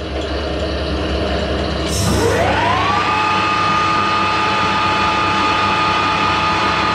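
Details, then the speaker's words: Harrison L6 12-inch swing lathe headstock spinning up to about 1000 rpm after clutch repair (springs added between clutch plates to stop rattle, new operating pins); smooth, steady, even tone, only oil splashing on the top cover, no knocks or grinding; normal running. "much faster the only noise i can hear is the oil splashing up on the top of the cover"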